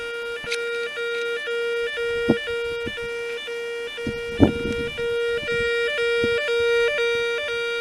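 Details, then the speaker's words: Nugelec type 2B fire alarm demonstration case, alarm triggered manually after a zone 1 alarm and process acknowledgement: a continuous warbling two-tone sound cycles evenly with faint handling noise, the evacuation alarm sounder ringing. "Ensuite, par exemple, si je voulais déclencher l'alarme, j'appuie là. Et là, on entend bien qu'on a la sonnerie."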